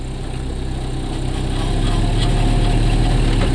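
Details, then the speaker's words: 1986 Toyota van, first start after sitting 5 years, new battery terminal, idling in gear at about 900 rpm, temperature good: low even rumble around four beats a second, no misses or hunting; normal idle. "Yeah, all right. I gotta air the tires up, but when you put it in gear, It's about 900 RPM, which is good."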